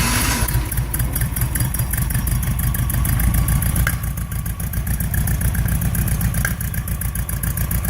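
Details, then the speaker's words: Porsche 912 flat-four after rebuild (sludged crankcase cleaned, cylinder heads' exhaust stud holes repaired): deep, even burble with a steady beat and no knocks or rattles; runs smoothly. "here it is in its completed form and it's running and sounding really nice so here we go we'll start it up for you so you can hear"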